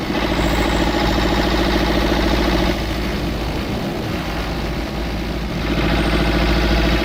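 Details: Old twin-cylinder diesel vibratory roller that broke down about 20 years ago, after running a while: steady, even thumping about three and a half beats a second, both cylinders firing; normal idle, earlier miss suspected from injector debris.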